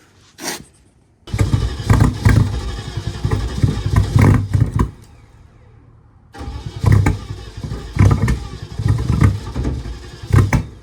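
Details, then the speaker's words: BMW E30 with M60 4.0 V8 swap, external fuel tank, ECU connected, microphone behind the car; starter churns with rhythmic compression pulses in two long bursts but never fires. Owner suspects knock sensors or a bad ECU; crank no-start. "baby I still have no idea I'm starting to think it's the knock sensors or the ecu's bad"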